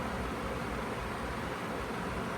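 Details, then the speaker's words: Feature Comforts FT30-3D table fan, needing a clean, on speed 2 (medium): steady, even rush of air with no ticking, wobble or rubbing; runs cleanly. "Let's put it on speed 2. This is the speed 2 we got."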